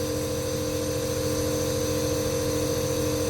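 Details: Steady constant nebulizer compressor motor hum with an even drone, no rattles or surging, while medication is nebulized until it runs out; compressor running normally.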